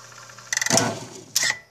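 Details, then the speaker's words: Electrolux washing machine that won't spin: short bursts of rapid clicking and rattling as the drain actuator is repeatedly pulled in and released, blamed on a faulty control board. "vocês viram aqui que ela tá puxando e soltando o atuador ela puxa e solta o tempo todo"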